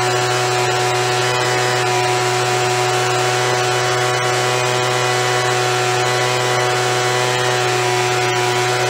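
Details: After carb cleaning, carb kit and trigger modification so throttle fully opens and closes, Craftsman (MTD) B2000 25cc two-stroke blower (had "wont stay running"), warmed up: loud steady drone at even pitch, no surging or sputter, holds speed; fixed, running normally.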